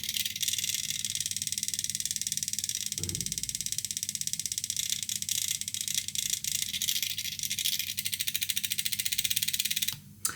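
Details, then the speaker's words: Air-conditioner electronic expansion valve on a test PCB: frequency raised from 50 Hz (minimum 20) toward 150 Hz, fast even stepper ticking speeds up and gets sharper, pulses more intense at higher frequency; valve stepping normally. "Man mano che aumento la frequenza andrà sempre più veloce fino a 150 Hz. Sentite il battente che aumentando la frequenza aumenta l'intensità degli impulsi."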